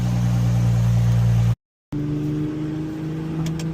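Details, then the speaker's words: Infiniti G25 (VQ25HR) just after Injen intake install (SP1961P), warm on a hot day around 95°F: smooth steady hum, brief cut, then even idle without knocks, ticks or hiss; running normally. "So right now, seems to be running good."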